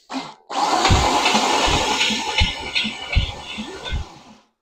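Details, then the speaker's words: Used $450 Chevy 350 small-block, freshly oiled, cranked by remote starter for a 1969 Camaro: heavy, uneven thumps about once a second under the starter whir; knock suspected at the flex plate, unconfirmed; starter also not disengaging. "You Hear That Knocking I think that's a flex plate back there"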